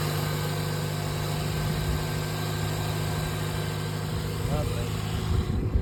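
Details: Toyota Yaris SR 1.3 after alternator and drive belt replacement and re-securing the battery terminal, battery light off: smooth, even low hum with a steady beat and no squeal, chirp or knock; normal idle.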